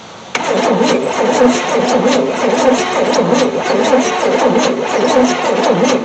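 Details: 1973 Chevy C10 squarebody, not run for 27 years, cranked by a push-button starter with gas poured into the carb, key on and in park, battery cables still loose: starter churns steadily for several seconds but never fires. Cranks, no start; cause not confirmed.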